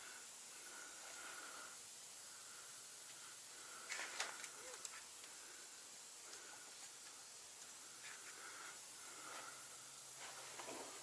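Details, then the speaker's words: Truck 796 air system: faint, intermittent high hiss over quiet background, a second compressed-air leak heard further along after one leaking fitting was found; exact source not confirmed. "so that's one but there's another one up you further I can hear it"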